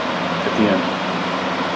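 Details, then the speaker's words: Box fan Corsi-Rosenthal air purifier built with four 20x20x1 filters, running at full blast: steady, even rush of air with no ticks, rattles or wobble. Not that loud, good suction, running cleanly. "full blast. So it's not that loud, and the suction is there."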